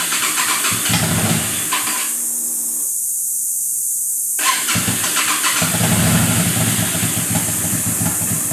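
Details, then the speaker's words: 1998 Yamaha V Star, 3,500 miles, recent carb rebuild and fuel flush, choke on: rough idle then engine cuts out for a couple of seconds before catching; stalls whenever revved, with desert cicadas in background. "it'll run but when i rev it it just shuts off"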